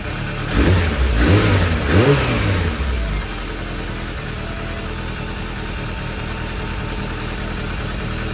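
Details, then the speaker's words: Suzuki Bandit 600 after carburettor balancing: three crisp throttle blips return cleanly to a smooth, even idle with no hunting; carbs now in line, sharp throttle response, misfire fixed. "that so there we go done one up oh absolutely in line thankfully nice fot response Happy Days"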